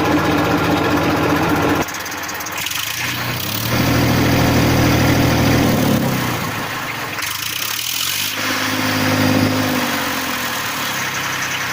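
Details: 1994 Massey Ferguson 1035 DI tractor diesel at idle: steady, even hum with a smooth low beat that never stumbles; normal idle.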